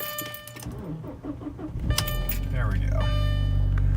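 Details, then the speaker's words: Audi B7 after sitting at least 12 hours: starter turns over sluggishly at about four beats a second for over a second before catching; weak battery needing replacement, later failed to start in cold. "terrible but it definitely needs a new battery"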